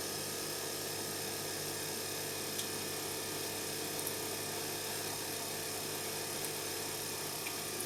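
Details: Electra ELEC1647A3 washing machine motor, about 10 wash cycles after new carbon brushes: constant high whine with rough raspy edge and faint scratchy ticks; damaged commutator wearing brushes, motor failing, needs new motor.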